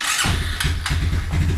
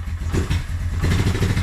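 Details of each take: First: Suzuki Quadrunner 250 that sat about 7 years, old clean-looking oil, choke on, in neutral, cold: catches almost instantly and settles into a steady, even low thump; clean, healthy start, slight smoke afterward. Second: Suzuki Quadrunner 250 ATV stored about 7 years with sludgy oil, first start cold on choke in neutral: lumpy, uneven single-cylinder putter that surges and sags, smoking a little; rough cold running.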